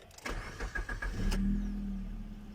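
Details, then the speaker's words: Maruti Swift Dzire that would not start because of rust and carbon on the battery terminals, started after cleaning and retightening them; four quick cranking pulses, then clean catch into a smooth, even idle. "तो ये हमारी कार चालू हो चुकी है।"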